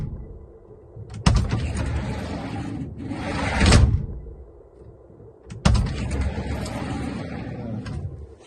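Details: GAZ Sobol 4×4 diesel van sliding side door: runs along its track and shuts with a hard, solid thud; knock traced to misaligned door mounts, fixed by adjusting and tightening upper then lower mounts.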